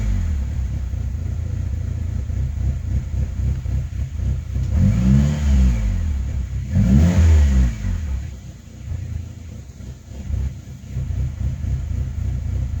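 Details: 2005 Saab 9-3 Aero after rebuild, code P0300 with blinking check engine light: lumpy idle stumbling three to four times a second after two throttle blips; misfire with brand-new plugs, owner suspects coil packs and will swap them one at a time.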